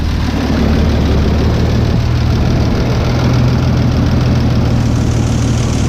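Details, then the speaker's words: 1989 Toyota FJ62, 291k miles, parked 10 years, inline six after valve stem tips unmushroomed and reinstalled: even, low steady sewing-machine-like hum with no knocks or ticks; healthy idle. "got it pretty sewing machine like i'm happy with that"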